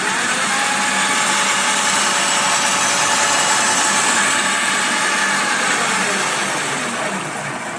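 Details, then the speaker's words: Razor E300/E300S electric scooter after replacing the original lead-acid batteries, which had failed from not being charged. The hub motor gives an even, steady whirring hiss under throttle with no knocks, grinding or cutting out; it runs normally. "Now I'm gonna power both of them on and prove to you that they're both fixed."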